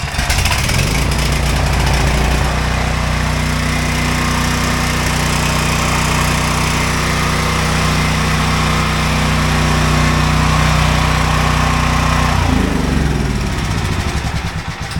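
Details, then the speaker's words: Ryobi generator with a replaced ignition coil and most of its carbon-monoxide shutoff wiring disconnected. Steady, even small-engine drone holds constant speed for over ten seconds, then winds down smoothly. Normal running. "You turn it on, and she runs good."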